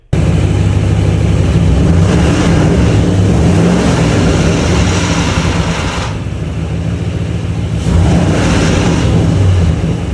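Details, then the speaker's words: 2006 Ford Mustang GT, 4.6L 3-valve, 358k miles: loud high-rev roar above about 2,500 rpm with an irregular metallic rattle, gone at idle; owner suspects timing chain guides or tensioners, possibly cam phasers, after earlier top-end ticking, unconfirmed. "And then I would rev it above about 2,500 RPMs, and then it would start kind of getting this like timing chain slap or rattle, and that's when I realized this must be timing related."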